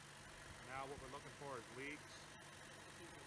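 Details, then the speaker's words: Chevy Cruze first start after a failed PCV valve and valve cover replacement, battery reconnected, idling in park to warm up: low, steady hum with no stumble or misfire. Normal idle. "Yeah, just leave it in park. Let it idle. Let it warm up. See if it starts stumbling. All right, fire it up."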